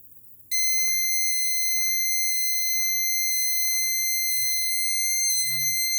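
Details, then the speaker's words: Explosimeter (gas detector) tested with a non-flammable gas cylinder held at its sensor cells: a steady high alarm tone starts abruptly as the reading reaches the 15% threshold, with vibration alongside. "là, on a vu qu'arrivé à 15%, en fait, il s'allumait. Je ne sais pas si vous entendez la vibration."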